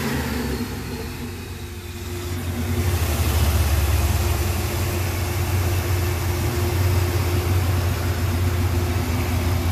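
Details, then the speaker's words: Ford SVT Lightning pickup, 64,000 original miles, after new electric fan install, idling about 30 minutes warm in 105° heat with A/C on, temps normal: deep even idle rumble, slight lift then steady; normal idle. "so I've been editing the truck for about 30 minutes now and all the temps are away at their normal operation so we got the a/c on everything gone and struck still look at the town still perfect"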